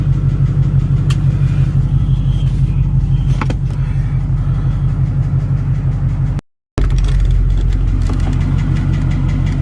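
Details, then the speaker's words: Lincoln with Ford Coyote 5.0 V8 idling in drive: light fast ticking over steady low rumble, tick goes away in park and returns in drive. "Alright, so now we hear the ticking noise. And the park, it goes away. Back in drive."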